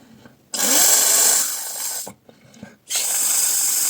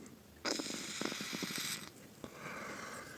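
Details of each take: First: Vaporesso XROS Mini pod cartridge, blown out after flushing with water to fix leaking from the bottom: two clean, even hisses of air with no bubbling or gurgle; the cartridge is clear of water. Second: Vaporesso XROS Mini pod cartridge after a fix for leaking from the bottom: two hissing, rattly, gurgling wheezes about a second each on the draw; no longer leaks, but it may not have dried out or soaked in yet.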